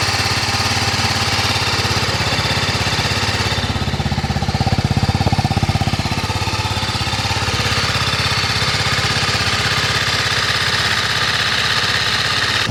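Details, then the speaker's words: TVS Apache RR310 at first cold start of the day, after a fall over a rock: fast steady clatter over the single's idle, louder than the engine's usual noise; owner suspects chain tensioner or valve clearance, cause unconfirmed, more noticeable once hot. "De por si el motor es algo ruidoso, digamos, pero eh yo detecto como un eh voy a expresarlo así, un claqueteo eh un poco más fuerte. Este fue el primer arranque del día, digamos, el arranque en frío."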